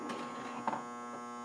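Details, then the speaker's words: Gottlieb High Score electromechanical pinball machine after pressing start: steady low buzz with faint clicks, a coil locked on by a stuck-closed switch, scoring misbehaving. "that is a that's a coil that's locked on um and that's not a good thing you don't usually want a coil stuck on like that"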